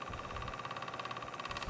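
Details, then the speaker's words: Corsair TX750W power supply fan buzzes with a steady fast flutter and annoying vibration, lessening after a while and mostly gone when flipped upside down; worn fan bearing, to be lubricated. "I have somebody on Craigslist that wants to buy it and so I went to test it this morning I put my little thing to jump it and when I turn it on the fan is making a really annoying vibration sound"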